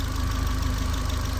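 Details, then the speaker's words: Manual-swapped Mk4, warm at idle in neutral on a very cold night: steady, even low rumble with a faint constant hum, no misses or knocks; healthy, with smoke thought to be moisture. "because this thing this thing sounds so healthy I'm pretty stoked I'm glad I took my time on a lot of this stuff"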